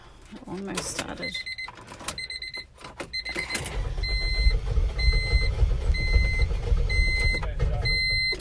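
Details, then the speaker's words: 1997 Honda CR-V engine after being pressure washed, which left it not starting, battery disconnected to try a reset: engine rumble comes in uneven low surges with a warning chime pinging over it; running rough. "gosh it doesn't sound good"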